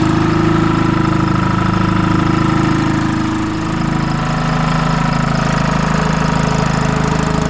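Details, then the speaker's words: Detroit 2-53 two-stroke diesel on a GoPower DT2000 dyno with a new adapter, first run since last fall, before the driveshaft was attached: even steady beat about three per second, idle turned up, smooth and healthy. "Okay guys, we're going to attach the drive shaft now, and I'm happy with that. Turned up the idle nice and smooth, and attach the drive shaft and see."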